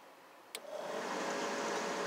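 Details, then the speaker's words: Blower motor (new blower motor resistor just installed, still not working) wired straight to the starting battery spins up with a click to a steady, even whoosh and faint hum, no scraping; motor runs fine, fault lies elsewhere in the circuit. "you can hear it running it's running beautiful the motor is running beautiful"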